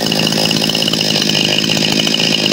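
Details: New chainsaw that started once and then would not restart: after the mechanic's repair it gives a high, buzzy two-stroke note holding steady with clean, continuous firing and no misses; running properly.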